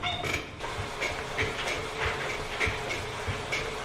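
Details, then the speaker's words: Budget Peloton-alternative exercise bike after a couple months' use: short high chirping squeaks about every half second in time with pedaling over flywheel whir, as the rider bounces in the saddle; saddle squeak. "So you can hear, for example, when you're like sitting in the saddle and you're riding you kind of like bounce a little bit and it's like (makes squeaking sound) like you can hear it squeaking while you're riding."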